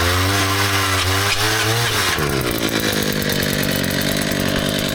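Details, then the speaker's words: Small two-stroke powered auger digging post holes on site for railing: steady revving, then the note sags and roughens as load comes on; the bit seems to have hit something, suspected rock or root, not confirmed. "That doesn't sound good. What do you think that is? Think it's a rock?"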